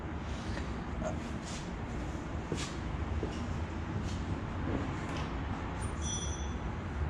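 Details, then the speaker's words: Mustang 4.6 V8 just fitted with a Procharger supercharger, upper coolant hose and air filter not yet finished: steady, deep V8 burble at idle with even rhythm and no ticks, knocks or stumbles; normal idle. "We started up yesterday just to confirm. Oh, you guys can hear how she sounds. She sounds amazing."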